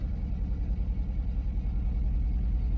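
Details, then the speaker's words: 2011 Jeep Liberty 3.7L with overheating complaint and suspected blown head gasket, code P0302 seen: deep idle with uneven stumbling pulse and wavering loudness, cylinder misfire. "this thing definitely has a misfire I don't know if you can hear it"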